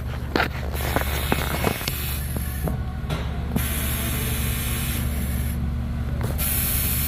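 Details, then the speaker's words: 5.9 Cummins that stalled in deep water, code P0628 fuel pump control circuit low, lift pump replaced: steady low electric hum with no rattle or surging; new lift pump operating normally before clearing codes. "So now that we know the lift pump is operating, let's get ready to clear the codes and start it."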